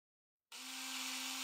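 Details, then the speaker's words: Small pump in the power panel for an OS FS-60 four-stroke model aeroplane engine, tubing into fuel bottle and tank filler: silence, then steady high buzz and constant whir; pump running normally. "i'm going to check that the pump in the power panel works okay"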